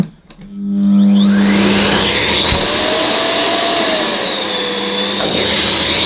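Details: Ufesa Zelmer 4-in-1 vacuum's suction motor in wet-extraction mode, pump off, small head on rubber-backed carpet: steady roar whose pitch wanders as the motor cuts in and out because the carpet blocks the nozzle.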